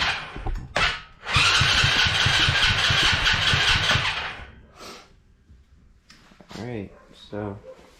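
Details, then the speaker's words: Coolster 110cc automatic quad that sat two years, first start attempt with petcock just turned on: quick even cranking with one brief near-catch, no start; fuel leaking from carburettor overflow, float suspected stuck open or at wrong height. "so look like it almost started there for a second so look at there it's leaking from the Overflow so so that means the float is stuck open or not the right height"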